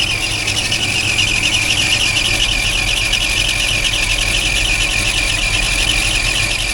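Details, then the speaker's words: Chevy 283 V8 idling warm: constant high, rough scraping squeal; owner suspects the pulley scrubbing against the side of the pump, not fatal and likely to stop eventually; unconfirmed. "this uh pulley could be scrubbing up against the side of that pump which I've seen them do before but it's not fatal it's just be annoying till it stops"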